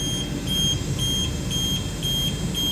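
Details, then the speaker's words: HR17 narrow electric machine after correcting a mistake made during motor controller replacement: enable pressed, steady pump motor hum under quick beeping about four per second, motor running at 1500 RPM normally. "yeah now I can hear the motor is running"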